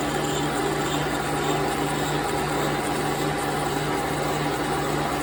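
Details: 1930s 3A Brown & Sharpe universal mill, 6-inch 42-tooth sharp arbor cutter at 105 rpm and 16 in/min feed, slotting 5 mm by 3 mm in delrin: constant mid-pitched drone, smooth with no chatter. Normal cut.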